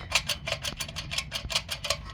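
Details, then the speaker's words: Rough throwout bearing from a 2004 Dodge Ram 3500 4x4 dually with 5.9 Cummins High Output, spun by hand; dry gritty clicking pulses, four or five a second. "Throwout bearing. That doesn't sound good. It spins."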